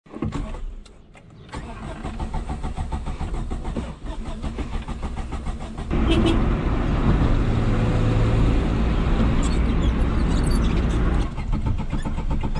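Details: 1989 Suzuki Khyber/Cultus, G10 993cc petrol, FWD, 4-speed manual, driving under load, POV drive: the engine labours and nearly dies, then picks up unevenly, barely keeping going; engine stalling.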